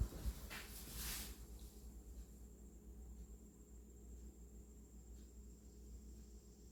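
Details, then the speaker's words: Vintage Emerson box fan, wiring and capacitor apparently original, after cleaning and servicing, on low speed; quiet, even low hum with soft steady whoosh, no scraping or ticking; normal running. "so definitely know how these these fans were definitely quality built"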